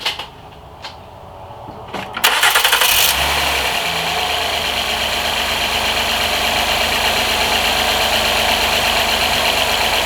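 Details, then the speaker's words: 2010 Honda Accord 3.5 V6, 195,228 miles, after new spark plugs, ignition coils and an intake boot fix, engine light cleared; brief crank then a smooth, even idle in open loop with no stumble, previously misfiring with a flashing check engine light. "Alright, seems to be idling pretty good."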